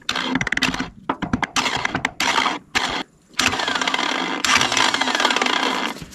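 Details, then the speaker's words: John Deere 755 turbo diesel track loader that sat over 20 years: short bursts of starter whir start and stop with no engine turnover. The starter's drive gear had come off and fallen inside. "well what I'm seeing is not good it looks like the whole dang gear D flew off this thing"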